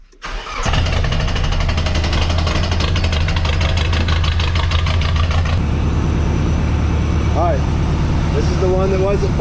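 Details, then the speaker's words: Car restarted after swapping the suspect injector to the adjacent cylinder: it cranks briefly, catches and idles with an uneven, stumbling beat. The misfire moved with the injector, confirming a bad or clogged fuel injector. "all right we found the problem we got a bad injector or a clogged injector or something"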